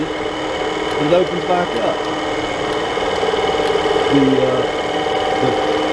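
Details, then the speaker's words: Suburban RV furnace, powered from truck at 12.8 volts; low steady hum as fan runs noticeably slow, never reaching speed, sail switch won't hold closed; bad blower fan motor. "that fan is not turning near fast enough uh that motor apparently bad my truck had 12.8 volts so that's not the issue we got a bad fan motor"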